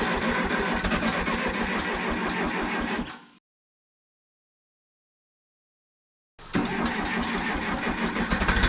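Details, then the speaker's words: 1968 Case 580CK backhoe, 188D diesel, rebuilt after rain seized it (stuck pistons freed, bent pushrods fixed, valves lapped), first run with oil pressure and valve cover off; rough lumpy clatter, missing on one cylinder, cause unconfirmed. "It's missing on one cylinder for sure. It's not running well."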